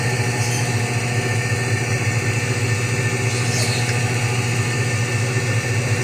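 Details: Whirlpool automatic washing machine after repair: steady, even motor hum with a low drone and no knocking, scraping or squeal. Normal spin. Before, it drained but would not spin dry and showed error E2 after about 10 minutes; the problem was the two-terminal water sensor.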